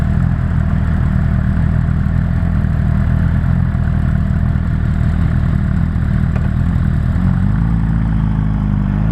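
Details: Suzuki GSR 600 motorcycle: a dry, tinny rattle rides over the exhaust note as the revs climb under acceleration; cause unknown.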